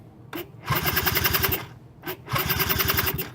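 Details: Cobra Chinese two-stroke quad with oil injection, ignition switch bypassed and suspected failed, CDI in question: two bursts of quick, even cranking with strong regular compression pulses, yet it never catches. It turns over well but does not fire; cause suspected, not confirmed.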